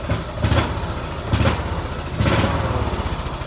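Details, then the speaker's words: Petrol tractor with spark plug run on diesel fuel: rough knock rattles harder on each throttle blip, about once a second, knocking only when given gas like a diesel; engine knock from diesel burning in a petrol engine. "If you listen closely, you can hear it knocking. And it only knocks like that when you give it gas, like any other diesel."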